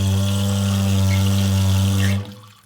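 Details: Toilet cistern refilling: a loud, steady low drone with a buzzy edge that cuts off when full. A stretched, misshapen fill valve washer is vibrating, and it was replaced.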